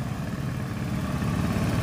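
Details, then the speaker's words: Carbureted Honda Beat scooter after repairing broken white charging wire, battery cable disconnected and engine keeps running: steady even low putter at idle, no misses or stumbles; normal idle, charging circuit fixed. "nah ini ya kabel aki sudah kita cabut dan motor masih bisa hidup masa kembali Mas"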